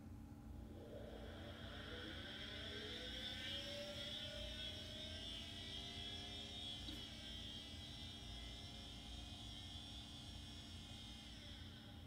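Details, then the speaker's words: External SCSI hard drive at power-on: a chunk, then a quiet whir climbing in pitch over a few seconds with a thin high whine, then fading; the drive spins up but never runs and doesn't work. "I turned it on I thought it wasn't working it made the ball noise than the fan turn on and I went to go listen I couldn't hear the hard drive doing anything but then turn on it got really loud yeah"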